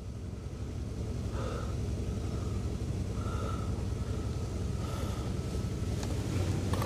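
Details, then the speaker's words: Abandoned Rolls-Royce Silver Spirit III on its first start after sitting for years. It idles low, soft and evenly with no knocks or misses, with good voltage and oil pressure. Spilled oil is burning off the manifold. Normal, very smooth idle. "God I can't get over how smooth it is"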